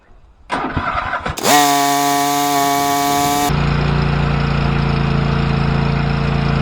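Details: Cub Cadet XT1 LT46" mower after tune-up (new fuel pump, fuel filter, oil and filter, plugs, can tune-up additive): brief cranking, then catches cleanly into a steady even run, no misses or knocks; healthy.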